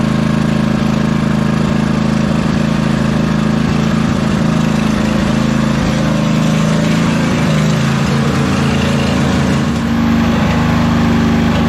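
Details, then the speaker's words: 2005 Husqvarna YTH2448 ride-on mower, Briggs & Stratton 24hp ELS 725cc V-twin: loud full-throttle drone with scattered sharp pops and crackles, sounding like it is over-revving, as if full throttle is set too high; it makes no power but idles perfectly. "Well, you can hear it's still popping at full throttle. Almost sounds like it's over revving, like the full throttle is adjusted too high. It's idling perfectly though."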